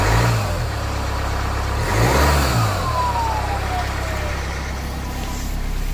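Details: 2020 Jaguar F-Pace 180 diesel started cold: a thin, harsh turbo whistle rises and falls over the diesel rumble as it revs; the cause is unconfirmed.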